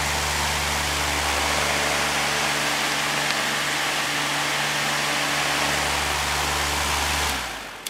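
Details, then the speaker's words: Lakewood HV-14C fan, probably early 2000s, after motor cleaning and oiling: steady hum and smooth airy rush on high, then slowing to medium; no rattle or bearing squeal, runs quiet and normal. "okay it's all put back together ready to run started up on high"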